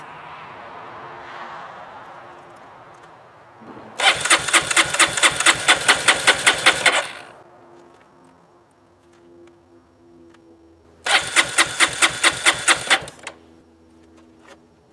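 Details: Honda CRF230F, carbureted, sat a year on untreated pump gas with a lithium-ion battery, through extreme heat and cold: two spells of quick, even cranking, about three then two seconds, without catching; won't start on first try.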